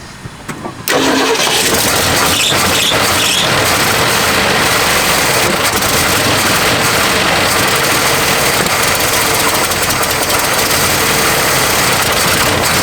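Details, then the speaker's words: 1969 Ford Mustang coupe, neglected for years, fed temporary two-stroke-mix fuel down the carb vent with the tank line disconnected: a few cranking taps, then it catches abruptly and settles into a full, steady idle. "well she wants to live that's for sure"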